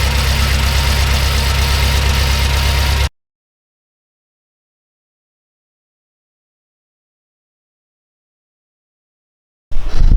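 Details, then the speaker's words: BMW M6 S63 twin-turbo V8 idling: uneven lumpy idle with irregular low thump about three times a second before cutting out; all coils had ECM control yet it still misfired across multiple cylinders, traced to failing injectors. "So all of them had control. Doesn't matter, the car was misfiring."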